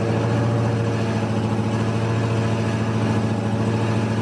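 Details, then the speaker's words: 2016 Dodge Charger SRT Hellcat (supercharged), cold start: after about 30 seconds a loud, buzzy rattle pulses over the fast idle, seemingly from under the passenger side forward of the door seam; owner suspects exhaust, two shops found nothing. "Then after that, there is a loud, sometimes not so loud, rattling sound. It sounds like it's coming from basically almost right under the passenger seat, somewhere along the passenger side of the car, from the the seam of the two doors forward."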